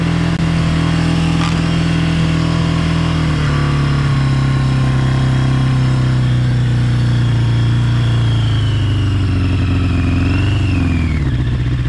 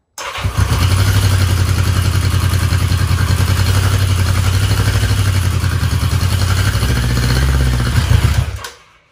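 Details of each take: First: 1982 Yamaha Maxim 650 motorcycle, with cracked fuel hose, high idle and wonky starter; strong even engine note that holds then eases down smoothly, no misses or knocks, runs clean. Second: 1982 Yamaha Maxim 650 after a full day battery charge, choke on: starter sounds weak, engine catches, runs unevenly with lumpy wandering idle and dies; owner suspects debris in a main jet.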